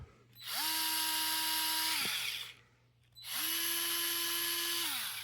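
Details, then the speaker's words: Dewalt 8V gyroscopic electric screwdriver running unloaded on setting six: two steady high motor whines spin up, hold, then wind down at full speed. The sales page claims a six-stage torque control, but the dial is only speed control, fixed at whatever setting it is on at start-up. "something else I noticed is I I was like sounds a bit higher pitched well you put it on six what's in this back it's full"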